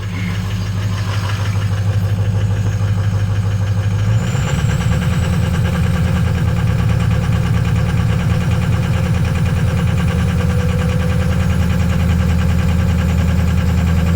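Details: Ford 6.0L diesel truck cold start after sitting overnight at 50-60°F, with no check engine lights. A heavy thrum steps up in speed when revs are raised before high idle, with an uneven pulsing beat from misfire due to a bad #4 injector.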